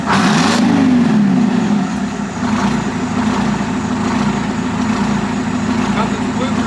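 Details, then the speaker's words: 1973 Diamond Reo truck diesel at low idle, first fire-up after a muffler swap: lumbering idle with an uneven puffing chuff, exhaust leaking enough to bother the owner. "All right. Well, if I'm being honest, that's disheartening because it leaks enough out of here to bother me."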